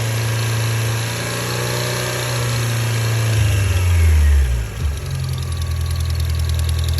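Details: 1987 Toyota Xtracab petrol truck idling with a light, fast tick over the low rumble and a brief rev midway; not the drivetrain, diagnosed as an exhaust leak ticking.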